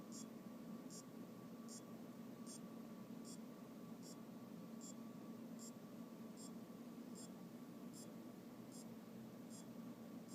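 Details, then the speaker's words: Aopen LCD monitor that won't power on, power supply reinstalled: faint even clicks about every 0.8 s over electrical hiss; capacitors replaced, diodes, rectifier and transistor checked, cause not found. "me encuentro con que hay un ruido pare parece como el de un Ah reloj y no estoy 100% seguro de dónde viene el sonido"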